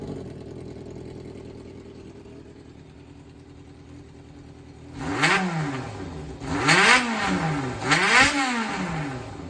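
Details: Yamaha XJR400 (4HM) startup check: quiet even idle for five seconds, then three clean blips, no knocks or rattles; seller states no abnormal engine noise or white smoke. Normal running and revving.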